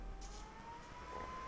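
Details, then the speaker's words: An Ender 3 3D printer at idle, then with the heated bed turned on: a thin, steady power supply fan whine that rises slightly in pitch under load. The Noctua board and hotend fans are inaudible; the PSU fan is later swapped for a 60 mm Noctua. "so the only fan noise I'm getting is right here on the power supply and this is just at idle and if I turn on the let's turn on the bed here"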